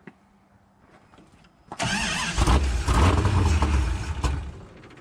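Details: Ratty Dodge Charger with a 505 stroker, first start attempt after fuel was poured into the carburetor and a 12-volt feed wire was checked: about two seconds of steady starter churning near two beats a second, never catching; cranks but won't start.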